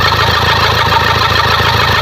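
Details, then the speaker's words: Toyota Fortuner diesel after a no-start repair, on restart: smooth even idle with steady clatter, no misses, now quiet; check engine light still on as some sensors not yet reconnected. "Ayan po ah umaandar na yung ano tahimik na at ah maganda na yung Menor"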